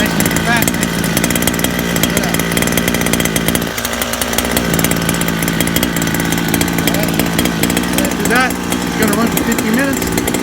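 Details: Small two-stroke during break-in, idling richer than intended in a smoky garage with the fan on; a steady, buzzy idle with a slightly burbling, uneven edge that holds its speed.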